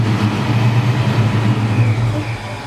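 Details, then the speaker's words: 1968 Firebird with Procharged LS1, first start after sitting six months with battery disconnected: deep, uneven rumble, wavering beat, not settling; computer relearning, may take a couple starts; rough running on first start. "what's happened is because the battery I shut it off the computer has to relearn what's going on so it might take a couple start for vitals"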